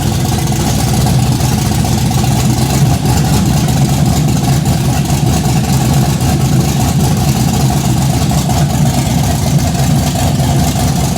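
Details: Chevy Blazer with aggressive cam and headers, first start-up, fuel pressure about 50 psi versus roughly 58 needed: loud, deep, heavy idle with uneven choppy lope, body shaking; normal cammed idle, smell of headers burning off.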